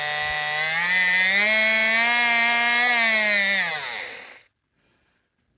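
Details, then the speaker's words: Life-Like HO scale F40PH model locomotive after repair, 14:1 gear ratio truck, test running; smooth even motor whine climbing slightly, holding, winding down, no grinding; normal running. "Everything's working fine. I don't feel any problems with those gears."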